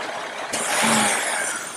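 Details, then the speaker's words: Engine idling when the brake booster vacuum hose is popped off to force the oxygen sensor lean: a sudden loud hiss over the idle from a major vacuum leak, yet the O2 sensor reading does not change. "And you can see we're creating a major lean leak here."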